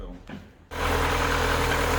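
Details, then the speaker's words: Rover 25 K-series engine, restored car, cold day: after brief rustle settles into smooth even idle with no knocks or misses; normal healthy idle. "Listen to that, lovely and smooth. That's what a K series should sound like."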